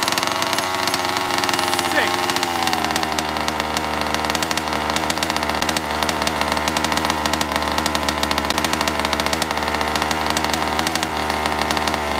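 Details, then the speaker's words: RCMK stuffed-crank gas two-stroke Baja RC, after no-start carb and spark repair with low-speed needle richened: fast even buzzing idle, no stumbling or surging; idle great, normal running. "idle is great k switch that's it done beautiful major"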